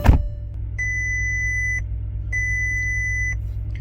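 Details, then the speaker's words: 2006 Bentley Flying Spur salvage car, first start after weak cranking, cold day: engine rumbling at idle while a high tone beeps in one-second bursts; dashboard warning chimes for traction control, suspension and tire faults. "here come the warning messages. To be expected. It looks like we got a traction control, we've got our suspension fault, we've got a tire fault, and I'm sure that's probably because it's kind of cold outside today."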